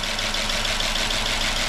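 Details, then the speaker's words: 2005 Chrysler 300C AWD 5.7 HEMI, first start after repair of a dropped valve seat, destroyed piston and head, run with no coolant: light, fast, steady lifter tick over a smooth idle as lifters pump back up; it later idles smoothly. "sounds awful but that's just a liquer pumping back up there's no cool in it"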